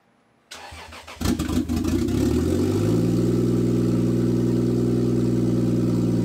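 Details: Toyota Aristo newly fitted with Garrett G35-900 turbo, first start with only about 6 inches of exhaust off the turbo: brief crank, catches, flares, settles into loud steady even idle within two seconds; normal start and idle.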